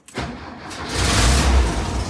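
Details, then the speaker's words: Volkswagen Thing air-cooled engine with manual transmission, started in neutral after work for better cylinder cooling: quick catch on the start, then an even rumble swelling smoothly as revs rise, a healthy engine that purrs. "So yeah, let's start her up. You can hear this engine purr."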